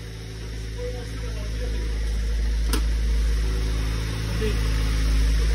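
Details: Tofaş with freshly rebuilt engine, in the workshop: deep even note swelling gently as revs rise and settling again, no knocks or ticks; healthy.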